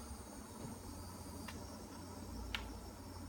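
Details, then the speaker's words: Monitor: faint steady high-pitched electrical buzz with low hum and two clicks from behind the monitor, not the unplugged speakers; stops when the power cord is unplugged and returns when plugged back in. "I'm hoping this will capture the sound of the buzzing that I could not replicate in the Apple Store. It's coming from behind here. It's not coming from my speakers."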